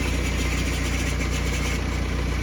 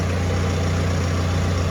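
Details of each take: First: 2011 BMW E91 diesel with 6HP21 automatic, started cold: a fine metallic ring rides over the steady diesel idle clatter from loose torque converter internals. The clutch slips in gear: it grabs up to 2000 rpm, then slips and drags out the shifts. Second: 2011 BMW E91 diesel with 6HP21 automatic, first cold start after a gearbox replacement that cured a previous ringing. The torque converter is not yet full of oil. Steady even idle with a smooth low drone and no ringing or rattle: normal.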